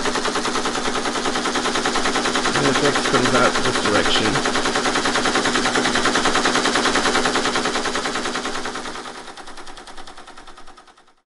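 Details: Teletype ASR 33 under restoration, paper tape reader reading a loaded program tape: a fast, evenly spaced clatter of about three steps a second that runs steadily, then winds down. The reader is stepping cleanly.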